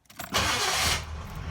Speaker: let's see if it fires back up ready yes it does check it out okay let's do that again because i love that sound